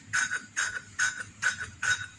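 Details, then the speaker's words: Manual valve lapping with a little oil, turning the valve in one direction only: gritty, scratchy rasps about twice a second as the valve turns, meaning the face and seat are still rough; a smooth, soft sound means lapping is done. "Nah, kalau suaranya seperti itu, krek krek krek krek seperti itu, berarti tandanya itu masih kasar, ya, masih kasar."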